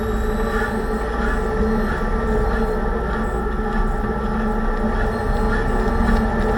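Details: 2006 Range Rover Sport differential after rebuild with all new bearings and races (done for bad vibration and howling), driving; steady whine over road rumble, still loud; owner suspects pinion preload too high, set at 35 in-lbs instead of maybe 20.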